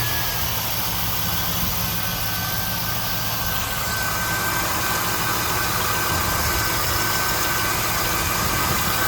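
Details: One-owner 2001 SS LS1 V8, 109k original miles, manual, engine never opened, has sounded this way since purchase: fast light sewing-machine ticking over a steady idle; valvetrain tick, lifter noise or normal unclear.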